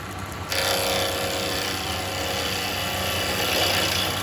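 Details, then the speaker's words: Wood lathe turning a three-cornered lidded box with a carbide chisel, speed raised: a steady scraping hiss starts and holds even with no chatter; carbide works better at speed and the finish improves; normal cutting. "finish is coming up nice now because I'm getting the speed."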